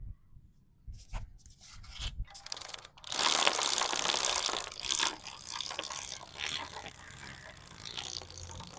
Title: Bike chain noise problem solved #shortsfeed #automobile #mecanic #trending #experiment #youtubeshort